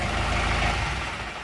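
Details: Kubota tractor/combine diesel with the stop solenoid circuit working. The rumble fades away smoothly within about a second with no run-on or knocking; the engine stops cleanly when switched off.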